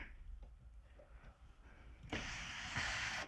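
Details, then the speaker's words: 2000 Ford Expedition moonroof, glass removed, during cleaning and lube: quiet shuffling then a harsh scraping rush as the mechanism opens and closes; friction from grime on the trolley carrier that pulls it. "You can hear that friction, that's grime on that trolley, that carrier that pulls it."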